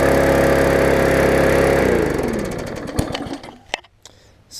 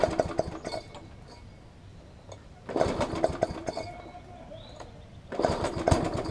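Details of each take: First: Yard Machines mower after a tune-up (carb diaphragm, air filter, oil, bent auto-throttle fixed), slightly flooded and burning off fuel: steady four-stroke beat at governed speed, smooth wind-down at shutoff; runs normally. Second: Yard Machines push mower, traded in: catches in short rough bursts then nearly dies between them, surging; suspected bad carburettor diaphragm, later replaced along with the air filter.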